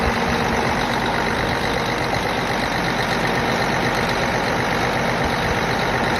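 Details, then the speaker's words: Cummins ISX diesel with code 559 low fuel rail pressure, started after installing a new fuel pump and priming: steady, even idle clatter with no misses, knocks or surging. Finding: normal idle. "time to fire him up y'all hear it guys new fuel pump installed priming"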